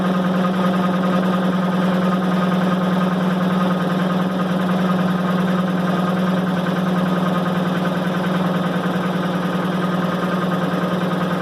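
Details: 1990 Maytag LA211 washer on spin cycle: steady loud low groan at even pitch with faint pulsing. Belts, brake and the bearing the brake spins on already replaced; cause still unknown.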